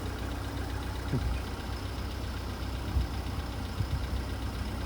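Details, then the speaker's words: VW Polo Sedan (CFNA), 102,239 km, cold start at −2.5 °C, warming up while driving: a soft irregular knock still taps over the low rumble but is quieter and barely audible, fading as the engine warms. "Сейчас уже меньше стучит, уже поменьше. Почти еле слышно."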